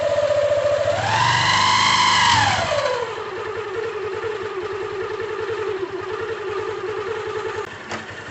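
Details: Motorcycle with a strange noise on the clutch side, before opening the clutch cover: single starts, blips up, settles to idle with an uneven clattery rattle; loose clutch basket play.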